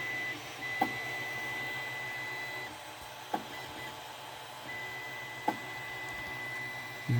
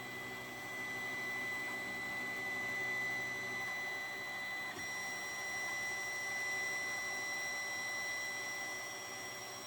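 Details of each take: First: 3D printer two hours into a five-hour print: sharp knocks every two seconds or so over the steady motor hum as the drive wheels try to force filament through a clogged nozzle. Owner suspects bed misalignment jammed it; extruder skipping. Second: 3D printer restarting a print after a jammed nozzle was replaced, tubes renewed and the bed re-levelled: steady whir of cooling fans with a thin constant high tone, even throughout; normal printing.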